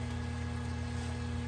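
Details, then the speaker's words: Old kitchen trash compactor, overstuffed: steady motor hum runs on without pause and never shuts off at the end of the cycle as it normally would; the drive chain has popped off the sprocket. The fix is to reinstall the chain. "This is what happens when you overstuff your trash compactor. So you can hear it running continuously."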